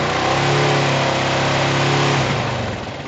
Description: A weak spring on the valve decompresor is causing the ticking sound you hear.